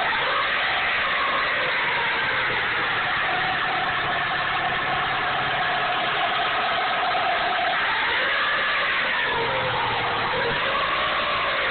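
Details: 1998 Dodge Neon 2.0L DOHC engine revving, thin whine whose pitch climbs and falls with revs; owner suspects the water pump, not confirmed.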